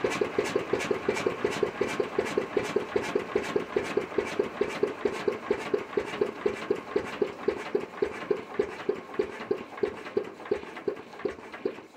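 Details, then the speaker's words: Witte diesel generator, first start in 45 years (ran late 40s to late 70s), warm after running all day before shutdown: even regular firing thumps about four per second, no misses or knocks; normal smooth running. "so pretty pleased with today's progress all right she's been running all day we're going to shut her down now"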